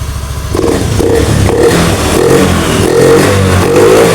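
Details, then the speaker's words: Honda Beat FI digital (ACG matic) scooter after repair: MIL no longer blinks, repeated throttle blips rise and fall cleanly without bogging or stalling; normal revving, though it still bogs at full throttle. "Oke teman-teman untuk lampu mil di sini sudah hilang Tidak berkerip lagi ee namun di awal pertama kita Nyalakan saat ee digerung digeber gas ditarik ini muncul kedipan dan motor ngempos namun sekarang normal"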